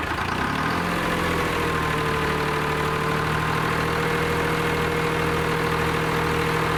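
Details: Lima 34 shovel diesel started after repairs, settling into a steady low idle with an even drone and faint constant tone above it, nothing irregular; normal start and idle.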